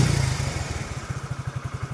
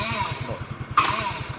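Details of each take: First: Suzuki Let's single-cylinder scooter with an Access CDI rewired in place of the Let's CDI to fix a starting problem: fires on the button and settles into an even, steady low putter at about nine beats a second; normal start and idle. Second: Suzuki Let's scooter running with an Access CDI rewired in place of the original Let's CDI: single-cylinder idle pulsing, then a short harsh grinding burst as the starter is pressed while running; starter gear grinding.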